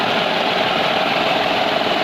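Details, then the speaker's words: Renault Kwid after repairing the cylinder 3 injector control circuit wiring to the ECM: even, steady idle with no stumbles, skips or knocks; misfire fixed, engine running smoothly. "आप देख सकते हो बिल्कुल silent हो चुका है य कोई मिसिंग मिसिंग नहीं है गाड़ी ओके हो चुकी है"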